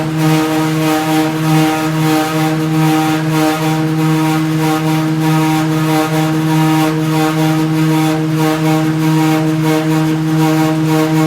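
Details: Samsung DV42H5200GW clothes dryer suddenly running with a loud, steady droning hum, far louder than a normal tumble, though barely any clothing was inside; cause unknown.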